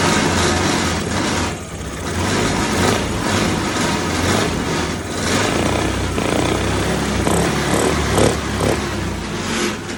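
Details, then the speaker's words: Yamaha Aerox 155 scooter after replacing rocker arm to cure engine tapping noise: smooth, slightly wavering idle with no top-end ticking; valve gear now quiet and healthy. "Kung napapansin niyo doun sa una kung napanood niyo yung unang video, mayingay siya. Ngayon pakinggan niyo guys. Tahimik na siya."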